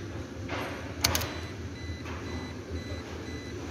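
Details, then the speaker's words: Toyota Hilux, key-in-ignition door-open warning after a missing ground connection was fixed: faint high chimes repeat about once a second over a low hum. Normal door-open key warning beep. "okay it's now working the beeping sound"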